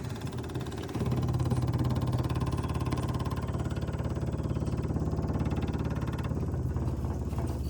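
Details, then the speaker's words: 1966 Chevrolet truck not run since 1996, external power jumped to the electric fuel pump to prime before starting: rapid steady ticking, three to four beats a second, over low hum as the pump draws fuel. "I'll put it to start pumping some fuel up. Took forever last time."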